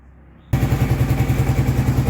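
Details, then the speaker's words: 2002 or 2003 Kawasaki Prairie 650 ATV just rebuilt, lower radiator hose and fan fitted, just started cold: engine catches and settles into a quick, even thumping idle, about six beats a second, no rattle; healthy cold start. "Alright, got her warmed up now. Well, I just started it, so it needs to warm up."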